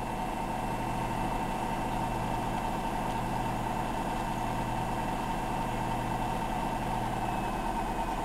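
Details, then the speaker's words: Hotpoint NSWM 1043C W UK N 10kg inverter-motor washer at final high spin, possibly unbalanced load: steady, even drum whirr with faint motor tone and pump hum, no knocks; spinning, pumping and draining okay. "but it's spinning and it's pumping and it's draining it's doing okay"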